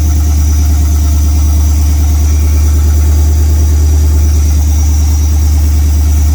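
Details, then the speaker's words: OBS truck LS-swap V8, cold start after first start, earlier misfire suspected: deep, steady idle with even smooth beat and no misses or stumbles; some smoke attributed to carbon buildup; normal cold-start idle. "actually that sounds really good for a cold start"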